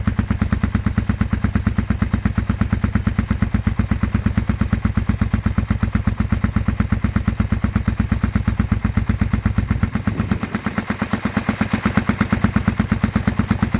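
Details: Abandoned 2001 Suzuki SV650S, just got running: loping uneven idle thump about three beats a second with a slight stumble midway; runs but still rough, still needs work.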